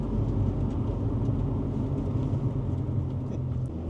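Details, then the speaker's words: 2005 Honda Accord CM7 after steering repair and BC Racing coilover install, road test: low steady road rumble over big bumps with no suspension clunks, previously clunking badly. "this could be another test here cuz originally when we tested back here it was clunking all over the place nothing no yep yeah try to hit some of these big bumps"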